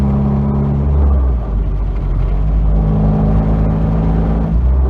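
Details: 1992 Nissan 240SX hatchback, clutch pedal pressed down: heavy low rumble with rough rattling and scraping under a steady drone; owner suspects a bad clutch, not confirmed.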